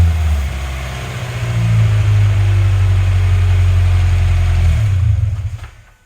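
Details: Turbo Scion FRS boxer engine after spark plug replacement, a broken plug ceramic suspected of causing misfires: deep even note climbs into a steady rev, holds smoothly, then cuts off; healthy running.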